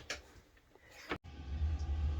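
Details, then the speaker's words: RV propane furnace at 9000 feet in Colorado winter after frozen propane line, tried water trick: click, short hush, then low steady hum holding as it lights. Owner suspects butane mix or condensation in line. Normal furnace operation. "so if you can hear that noise we got Heat which means we're not gonna freeze but more importantly it means that water trick worked"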